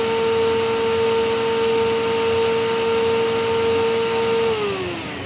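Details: Rainbow PN-2 power nozzle (used with a D4C SE) after repacking dry brushroll bearings that had run about 7 years: a steady clean high whine with no squeal or screech, rising as the grease warms, then winding down; runs smoothly.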